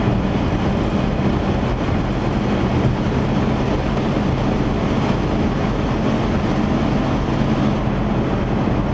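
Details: 1977 Chevy van after exhaust repair, test drive: steady low drone with even road rumble, no puffing, ticking or blowing; runs much quieter, normal exhaust note.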